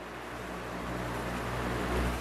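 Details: Giandel 1000W pure sine wave inverter, new and just unboxed, switched on and plugged into its socket with the cooling fan running: quiet, steady low hum with an even, unchanging tone and no buzz or chatter; normal running.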